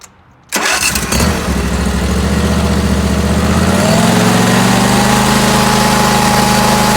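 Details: 2019 Bradley 36-inch stand-on mower starts quickly with brakes on and settles into a steady, even idle; pitch lifts slightly and holds smooth as the blades engage. Normal start and idle.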